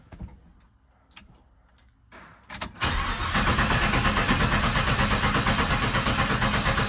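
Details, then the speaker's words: 1977 Chevrolet C10 being fired up after sitting: a couple of clicks, then the starter spins the engine evenly at about three pulses a second but it never catches. Cranks with no start; brake cleaner is considered. "I don't think it's going to start. I've got some brake cleaner."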